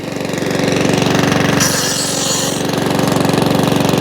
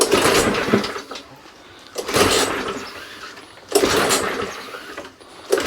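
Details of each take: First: Mountfield 414/416 mower rescued from a tip, previously wouldn't fire, first start: steady even single-cylinder putter, regular beat, some oil coming out the exhaust, no hunting. Normal running. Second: Non-running Mountfield 414/416 mower from the tip, pull-started on carb spray with dead man's handle off: four short sputtering bursts about two seconds apart, each dying; fires but not right, owner suspects gummed-up carburettor needing a clean.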